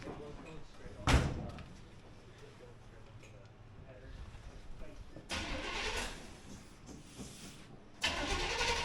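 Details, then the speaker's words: 1953 Ford truck, first start since 1994, new side-pipe exhaust fitted, in park: deep V8 burble rising on throttle blips and settling, thumpy, no exhaust leaks; sounds healthy. "Oh, that's got a thump to it. Woohoo. It's not even leaking."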